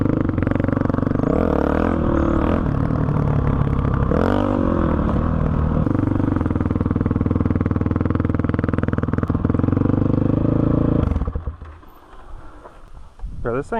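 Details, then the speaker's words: 2005 Honda CRF450X, sat 10 years, ridden after hot start blocked and rejetting (main 190, pilot 45): single thumps steadily about four per second under riding load, pulls cleanly, no bog; starts first kick, normal running. "great honestly great starts up first kick doesn't bog anymore I think I might have this thing perfected"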